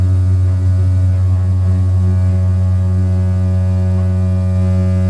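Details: One-year-old Whirlpool gas water heater with hot water turned on: loud steady low droning hum from the burner vibrating because it sat unbalanced; later fixed with a new burner and metal support.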